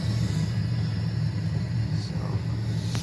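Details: Nissan S13 240SX with new Stu Kelly fuel hanger and relay-wired Walbro 450 pump, low fuel: engine idling with a low steady rumble, no knocks or misses, no pump whine; normal.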